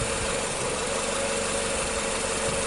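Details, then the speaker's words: 2007 Nissan Sylphy with MR20 engine, P0304, loss of power especially with AC on, no check engine light, heard at the muffler: rough, uneven idle with constant hiss; suspected cylinder 4 misfire, cause unconfirmed. "Alright, so you hear the engine is sounding a little rough. Alright, let's go to the muffler. So it definitely sounds like a misfire, right?"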